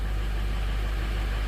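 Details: 2005 Ford F-350 6.0 Powerstroke diesel just restarted after IPR valve replacement (ICP2 low code still to clear): deep, even diesel rumble at a steady idle, no knocks or misses. Normal idle.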